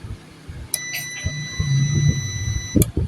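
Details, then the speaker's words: 12 V UPS (Oniveesco) with a charging fault, opened up: a click on, a steady high beep for about two seconds under a low hum, then a click and it shuts off again on every power-on. "آن ہو کے پھر آف ہو جاتا ہے. پھر دوبارہ میں اس کو آن کرتا ہوں، یہ آف ہو جاتا ہے."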